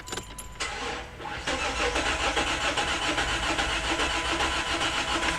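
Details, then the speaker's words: V6 car sent from another shop for no-start, cam sensor code stored, fuel presence simulated: starter cranks evenly with healthy steady compression pulses but never fires; does not sound like a broken timing belt. "Yes, it spins over, and quite frankly, from the healthiness of the way it sounded, you would be it does not sound like a broken timing belt. And I tell you why. That's because the belt's technically not broken. If the car is out of time."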